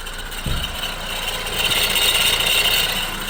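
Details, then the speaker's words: 2008 Honda CR-V at idle, after a blend door actuator unplug/replug restored heat: a steady high-pitched whine over a smooth idle, never changing pitch; owner thinks the alternator is making the noise. "think that's the alternator making that noise."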